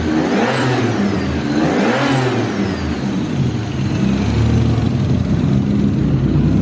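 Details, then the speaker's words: BMW E36 turbo M52 six, first start after fitting a new Pulsar G30 660 turbo, no filter yet, untuned. It catches quickly, then two sharp revs return cleanly to a smooth idle without misfire or rattle; pressure good. Finding: normal start and rev. "Please don't cook yourself. Good start, power's there. Oh, pressure's good."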